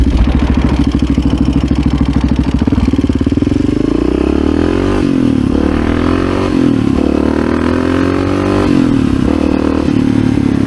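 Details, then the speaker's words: 1986 Honda HRC XR600R single-cylinder with dual carbs, after rejetting to a 140 secondary jet: climbs cleanly through the revs and pulls hard in first and second, front wheel lifting, no popping or spitting; it had been running lean, now healthy acceleration. "No pops. He was just thirsty, that's all."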